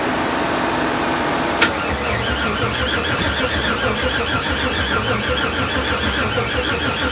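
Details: LS6-labelled 6.0 LS swap with 80 lb injectors and new fuel pressure regulator: steady, even cranking with a faint squeal, engine never fires; cranks but won't start, battery now left charging.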